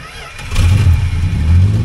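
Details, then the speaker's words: 1967 Plymouth Valiant two-door sedan, six-cylinder, after purchase as a non-runner, feathering the gas: engine catches and surges unevenly, loping and sagging as if about to die; rough, stumbling run near stalling. "little more little more it's going to die hey at least it runs that's kind of cool"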